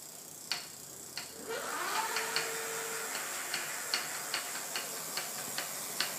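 Crisp light ticks roughly two to three a second, a bit uneven, over faint hiss; an unexplained clicking from the bike.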